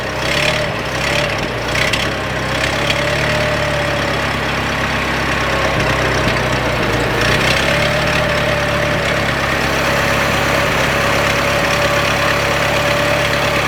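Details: 1926 Ford Model T four-cylinder after tightening the muffler underneath: slow, even idle with steady exhaust note, no blowing or rattling; doesn't sound bad at all, healthy normal idle.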